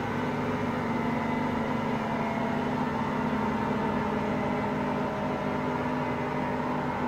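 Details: Hotpoint Aqualtis washing machine: steady, coarse rumble with a droning hum during fast drum rotation; drum bearings have just started to fail.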